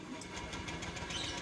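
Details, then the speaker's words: Honda Beat scooter that would not start and died suddenly, after the fuel pump was checked and refitted: the small single now idles with a quick, even putter, steady rhythm and no misses, running smoothly. "Nah akhirnya lega berhasil terang lancar enggak ada kendala"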